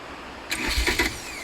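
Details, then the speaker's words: VW camper diesel, restarted after the fueling screw was backed off to cut smoke: short crank, then it catches with a few firm pulses and settles quickly; starts cleanly and sounds healthy. "Up. I think she's sounding alright, yeah. Shouldn't be too smoky, but you find that it was very smoky when you were driving it."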